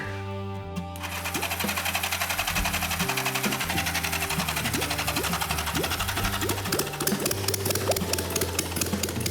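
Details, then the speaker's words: Custom motorcycle engine rigged up, points swapped for electronic ignition module, no fuel tank or exhaust fitted: starts immediately once the red wire is powered, settling into a fast, open, crackling run; running normally. "As soon as I put power to that red wire, like a light switch, it started right up."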